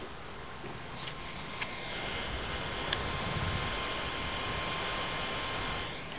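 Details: Laptop (Intel Centrino Duo T2300, ATI Mobility Radeon X1600) with CPU fan set to 100% speed by software: steady, even airy rush with a faint high whine holding constant, fan spinning flat out, normal.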